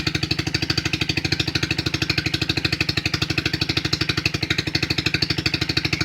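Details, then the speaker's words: 2008 Hi-Bird 200cc four-wheeler just after a cold start, choke fully off, warming up: a steady, even single-cylinder putter at about three beats a second with no misses or knocks; normal idle. "It's completely off the choke. Idling just fine."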